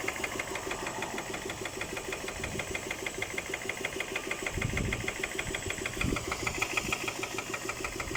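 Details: Idling engine with a steady, fairly regular knock of roughly three per second; the source is undetermined.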